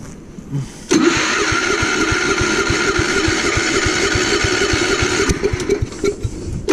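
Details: Gravely Commercial 12 34" snow blower, cold start after about a month unused, in snow and wind: the starter cranks about five seconds at a steady three-plus pulses a second without catching. Hard starting; the owner first suspected electrical, now fuel, possibly ice in the carb bowl.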